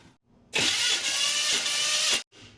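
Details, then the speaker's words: 1979 GMC Sierra abandoned for 25 years, cranked during a compression test: harsh metallic grind for about a second and a half and the engine never catches; the starter motor is failing and sounds terrible. "Well, it it didn't crank. Something happened with that starter. That starter sounds terrible."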